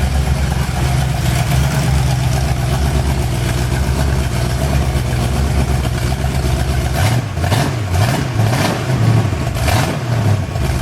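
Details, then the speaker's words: Freshly rebuilt Ford 351 Windsor for an XW Falcon, on an engine stand with its original manifold for running in: deep, even V8 roar rising and falling smoothly with throttle, no knocks or rattles; needs tuning but all vital signs good. "Needs some tuning work, but all the vital signs are good."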